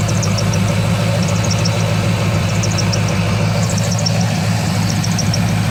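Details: 2003 Corvette Z06 V8 at idle: high chirpy squeaks in quick clusters about once a second; main belt brand new, quiet at first, squeal began about thirty seconds later; main tensioner seems fine, AC belt, idlers, harmonic balancer still suspected.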